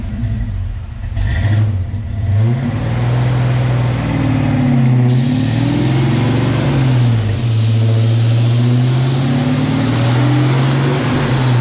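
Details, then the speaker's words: 1987 Saleen Mustang Foxbody on dyno, converted to E85 with bigger injectors, 190 L/h fuel pump: pulls hard with rising pitch then wavers and stumbles near the top; breaks up at high rpm, valve float suspected, not confirmed. "honestly man I think it's vales freze that would make sense I think it's floating to valves right there that would make the way it falls off like that yeah yep that's exactly what it sound like"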